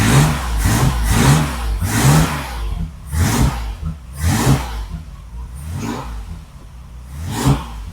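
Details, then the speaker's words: Classic car engine on a newly fitted correct ignition coil: catches and runs lumpy, revs surging and sagging about once a second, still hard to start; timing not yet checked, so the cause is unconfirmed. "Doesn't like starting, though. Still doesn't like starting, but that could be a number of things."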